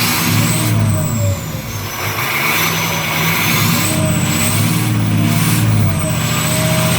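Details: 6.0 Powerstroke diesel after replacing the No. 8 injector to cure excessive smoke: a deep diesel clatter climbs and falls smoothly through several revs with a steady turbo whistle and no misfire; healthy running after the repair.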